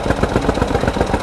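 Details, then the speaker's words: Ford EcoSport EcoBoost 3-cylinder petrol at idle with the check engine light on: hard, regular thumping and the whole car vibrating. One cylinder works well and two are weak. The ignition coils check out; the misfire is traced to a broken piston. "Start करके देखते हैं check engine light ए रहा है पुरी गाड़ी vibrate कर रही है पुरी तरीके से"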